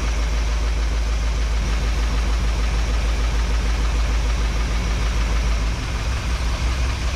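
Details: 1961 Chevrolet Parkwood V8 with new exhaust, idle lowered by ear to about 650–700 rpm via the mixture screws: deep, steady burble with a gentle even lope, no knocks or ticks; a vacuum gauge later reads acceptable.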